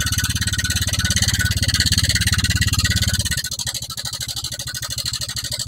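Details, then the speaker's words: Honda Vario 125 scooter at idle with a harsh, fast clattering rattle over every firing pulse, like a sewing machine or typewriter; so rough it sounds ready to explode. Cause is cam chain tensioner failure. "tapi yang ngeri kalau dipakai motornya ngeri sekali kayak motor mau meledak gitu ya Suaranya kayak mesin mesin jahit mesin ketik"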